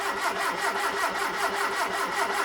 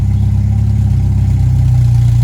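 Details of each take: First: Hillman Super Minx after a carburettor rebuild with the carbs refitted, choke held by a clothes peg: steady starter churn of about 2.5 turns a second with no firing. Extended cranking is needed to refill the empty float bowls. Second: Hillman Super Minx 2.1 with a Cherry Bomb back box, idling warm after a carb rebuild with a new diaphragm, during tuning with CO reading about 2% (3.5% wanted): smooth, even low rumble with a steady beat, no misses or hunting.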